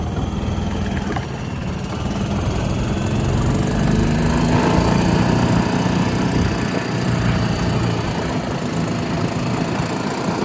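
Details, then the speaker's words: 1992 Club Car DS gas golf cart single-cylinder engine after carburetor change, magneto cleaning and transaxle repair, was very hard to start; runs steadily, slightly cold-natured at first, no misses or knocks; normal running. "All right. Well, there she is. Transaxle transmissions repaired. Enginees running. It's a little cold nature to start with for right now, but I think we just need to run it a little bit more."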